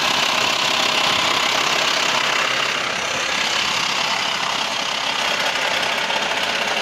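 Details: VW T5 2.5 AXD diesel at idle: busy, bright clatter about four ticks a second over a steady hiss; worst when turning the steering wheel; source undetermined.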